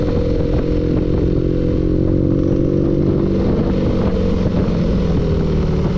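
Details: Loud, low engine rumble at steady speed with an irregular clattering knock running through it; knocking from inside the engine.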